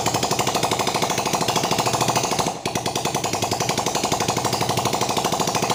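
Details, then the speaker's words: Yamaha Vega ZR single after boring-wall and piston honing repair (previously smoked white from burning oil, worst mornings), started without exhaust to check for oil burning: sharp, rapid, steady popping from open pipe, one brief dip; normal running. "ini kita starter tanpa menggunakan knalpot."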